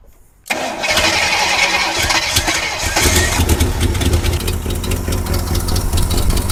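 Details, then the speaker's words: 1976 Jeep J10 with 401 V8, sitting 29 years, first start on fuel poured into the carburetor with a boat tank fitted: cranks and catches, then runs rough; fuel pump not drawing, owner suspects cracked lines. "I got a boat tank hooked up underneath here, and I dumped a little bit of fuel down in the carburetor. Had it charging overnight."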